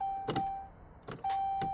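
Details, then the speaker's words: Ram 1500 5.7 Hemi, towed in as no-crank no-start: key to start gives a sharp single click from the starter side and a chime, but no cranking; cause suspected, possibly security/SKIM related, not confirmed. "so when you go to crank a car or you get in your car and uh you attempt to start it you turn the key to the start position you hear a click"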